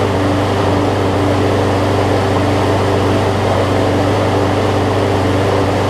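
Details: About 15-year-old John Deere JA62 push mower with Briggs OHV engine, after cleaning a carburetor gummed up from sitting: steady even drone, constant pitch, no misses or surging; running smoothly.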